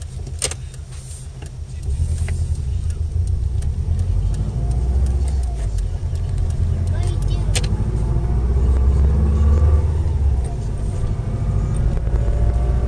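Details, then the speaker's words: Subaru Impreza before center diff bearing replacement: faint whine around 28–30 mph under road rumble, rising with road speed not revs, quiet in first and second at low speed, prominent in third to fifth; worn center differential bearings. "the wine 28 mph 30 mph not so prominent in first and second gear at low revs and low speed very prominent in third fourth fifth"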